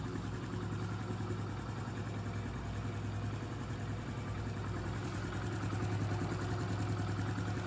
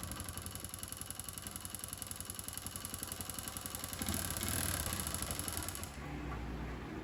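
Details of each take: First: Honda Pop 110i, about 25,000 km, after engine rebuild: quiet, even single-cylinder idle with soft steady beat and no knocks or rattles; repair finished successfully. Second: Honda Pop 110i, about 25,000 km, idling after timing chain repair: dull rapid knocking under the clatter. Oil pump gear failed, engine ran without oil; piston scratched, piston clip stuck, bottom end damaged.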